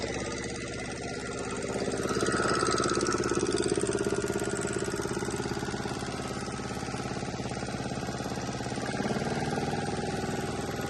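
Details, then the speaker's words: Volvo Penta 2002 diesel removed from a 1987 sailboat, running after repair and fuel bleeding: steady, even chug around three beats a second, no knocks or misses, holds speed; throttle and shut-off working, not running hot. Normal running. "but the shut off is working so so everything is working now I just got to tweak it a little bit"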